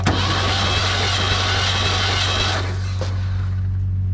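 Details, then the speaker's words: Clark forklift, sat several years, plugs removed for compression test: steady starter cranking drone with a slightly uneven beat, no firing; readings 110, 50, 50, 60, 110 psi, low compression; owner suspects valve lash needs adjustment. "60 psi on number one [Music] it's not good you got 110 50 50 60 and 110"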